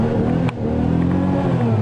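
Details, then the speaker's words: 1993 Buick LeSabre, sat a while, weak battery charging, no rev limiter: deep even engine note climbs and settles cleanly when revved, heavy smoke from exhaust, no knocks or misses; normal free revving. "oh yeah this one will let me rev it up it doesn't have a limiter on it oh boy I'm blowing smoke nobody's business fogging for freaking mosquitoes but yeah I can rev the piss out of this one woo that sounded good"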